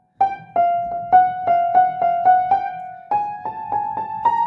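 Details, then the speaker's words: 1950s Petrof upright piano before servicing: struck notes keep ringing after release and overlap into the next note because some dampers are not dampening. Some keys also click. The action will probably be removed and serviced. "I need to look at the dampers as well these are all ringing"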